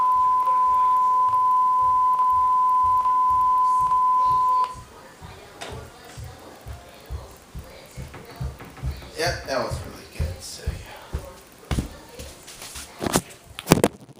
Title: WSOD & Clicking Sound At The End Of Silver Streak 1995 VHS